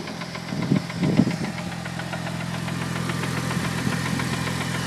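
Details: Newly bought Mitsubishi Evo 8 at idle: a few uneven knocks in the first second, then a fairly smooth idle. The seller says clutch release bearing; the source is unconfirmed.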